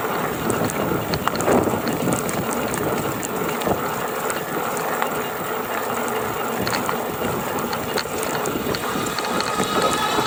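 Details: GoCruiser electric drive between 670 and 725 watts: dense, fast, irregular mechanical rattling and clicking with little low end; loose or chattering part suspected, source unknown.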